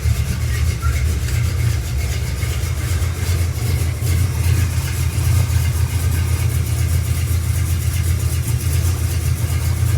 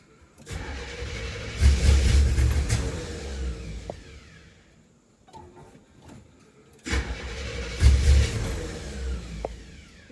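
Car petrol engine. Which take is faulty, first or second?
second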